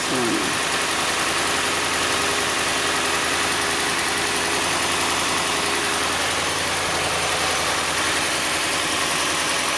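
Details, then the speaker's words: 2017 Dodge Ram 1500 5.7 L V8 after replacing the serpentine belt and a pulley to cure a squeak on start-up: steady, even idle with no squeak or chirp; accessory drive now quiet and smooth. "perfectly alive. All right. So, uh there you go."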